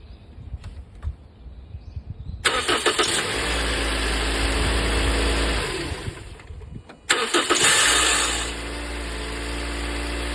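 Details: Toyota Noah: two cranking attempts with harsh, rough whirring from the starter motor before the engine catches and settles to idle; abnormal starter motor noise.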